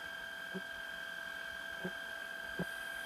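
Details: Shark Rocket stick vacuum after fixing suction problem, tissue suction test below max power; steady high-pitched motor whine holding constant with a few light taps. Normal running.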